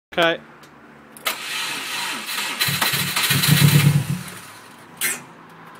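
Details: Subaru Impreza that sat six months, cranked after the power steering pipes were changed: the starter churns for several seconds with a rough, uneven chug that never catches cleanly. Extended cranking, hard start; it was eventually got running.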